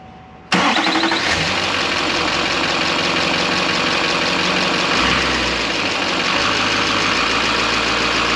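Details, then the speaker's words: 2007 Chevrolet Silverado 3500 6.6 diesel, restarted after installing Banks parts: brief crank, then a steady, even diesel clatter at idle with no misses or odd knocks; healthy start and idle. "I like it sounds good it looks good"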